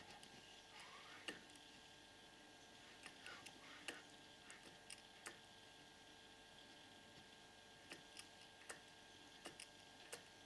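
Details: Purejet scooter with a newly installed Malossi 70cc cylinder kit and Malossi crankshaft, crank turned slowly by hand: sharp sporadic click near each top dead centre; owner asks whether this is normal.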